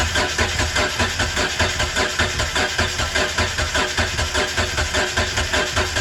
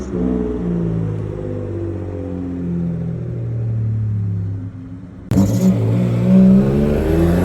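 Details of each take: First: Mitsubishi 3000GT that had not started in 5+ years, cranked on starter fluid with suspect old fuel, tank or pump: starter spins steadily with a pulsing beat about 100 per minute and never catches; compression test showed most cylinders 180, one 195, one with no compression. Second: Mitsubishi 3000GT after a chassis swap (engine, transmission and gas tank moved over), running once the tank's hard line was cut and the rubber fuel line reused: catches and runs with a steady low drone and revs up cleanly without misses.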